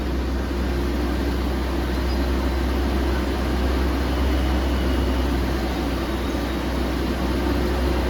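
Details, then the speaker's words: Restored BMW E36 right after starting on a new battery: smooth, even low engine hum with a steady rhythm and no knocks or misses. The fan ran immediately; owner suspects the viscous coupling. "Wow, sounds fantastic."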